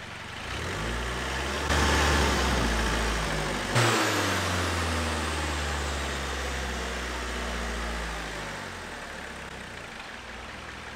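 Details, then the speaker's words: Vauxhall Astra van diesel after resetting the manual injection pump adjustment screw: two short revs dropping back to a smooth settled idle, no hunting or knocking; engine dialed in, normal idle. "so we're just getting that set up in the right position and then the engine is dialed in thankfully"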